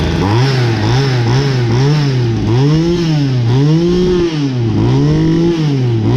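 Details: Ryobi LT2 two-stroke petrol strimmer that would not fire after refuelling, first start after repair; small engine buzzing, blipping up and down in steady rhythm, picking up throttle cleanly without sputter; normal running.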